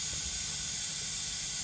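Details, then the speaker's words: Turbocharged engine running with a steady sharp hiss of escaping air from the right-hand wheel arch intercooler piping: boost leak from a silicone hose split just before its hose clamp. "you can definitely hear that leak i've sprayed around these silicone pipes and there's nothing but then i'm looking at the hose clamp get some cameras see that splits for that that hose is split just before the hose clamp"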